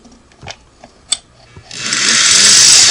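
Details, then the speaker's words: Singer 401A sewing machine at first inspection before restoration: a few light clicks, then a harsh, high, raspy whir once the motor spins up, possibly worn bearings. The motor runs rough and noisy. "that sounds terrible doesn't it"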